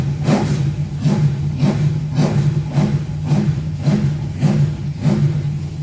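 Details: Rover V8 race engine, first start after replacing both head gaskets and setting valve clearances, not yet warmed up: deep burble with crisp blips about twice a second, settling cleanly without misfires, very smoky; runs healthy.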